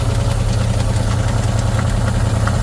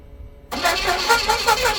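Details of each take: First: 1977 Pontiac Formula Firebird barn find, parked since 2007, first idle after fuel line hooked up to the carb: steady, even low idle with no misses or knocks, hardly smoking anymore; normal idle. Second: 1977 Pontiac Firebird Formula parked since 2007 barn find, with a new positive battery terminal, a borrowed good battery, gas poured in and transmission fluid in the cylinders: fast rhythmic cranking, almost catching but no start; likely flooded.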